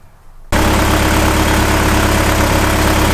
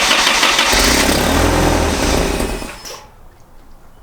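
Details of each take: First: 1986 Toyota 4Runner first start after fiddling with fuel resistor, O2 sensor and mass airflow connectors: engine catches and settles into even steady idle, no misses or knocks; cause of earlier no-run unclear. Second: 1986 Toyota 4Runner, battery recently charged: two long spells of even, rapid cranking with a pause between, never catching or firing; cranks but won't start, cause unconfirmed, a spark was seen afterward.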